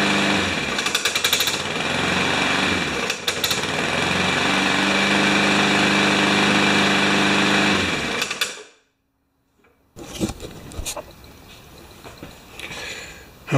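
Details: Remington mower with Powermore engine, started after carb spray and priming: loud, fast hammering clatter about three or four beats a second over the small engine until it shuts off; something inside rattling, cause suspected.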